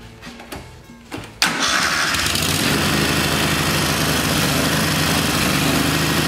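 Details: Kohler Command V-twin mower engine, running rich and rough: after cranking, steady rough roar that won't idle; bad camshaft compression release not flinging out, kicking valves open.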